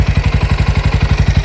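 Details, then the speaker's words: Bajaj Pulsar NS125 after 4th service, oil changed: small single idling with a light clatter on the exhaust beat; tappet problem found at service, owner plans replacement. "देखिए servicing कराने गया था तो टैपेड का problem था। भैया बोले कि 200 से 300 के आसपास पड़ेगा।"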